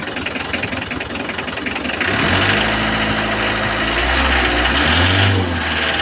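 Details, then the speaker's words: Mitsubishi L300 diesel with an unstable, misfire-like idle: it cranks, catches and stumbles at about 3.5 uneven pulses a second. It also has low power and poor fuel economy, and the fault persists after a fuel filter replacement. Cause not yet confirmed. "Oke, begini, teman-teman, suara mesinnya seperti mengalami masalah pengapian."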